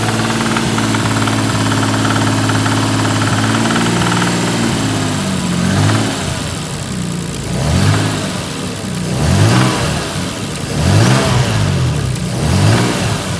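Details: Toyota 2JZ-GTE engine: rough idle with a dull knock underneath that sharpens on hard revving blips; a spun connecting rod bearing.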